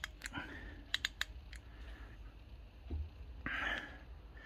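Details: Rover P6 rear brake caliper, UK driver's side, bench-tested after partial rebuild; quick run of crisp light clicks as the handbrake is worked and the self-adjuster ratchets up normally to bring the pads tight.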